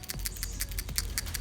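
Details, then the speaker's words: New AutoZone PCV valve for Honda Accord, removed-style hand shake test while fixing oil burning: quick crisp clicking about six per second, check ball moves freely, unlike the silent old valve. Normal PCV valve rattle. "I give it a quick listen you hear that click click click click click"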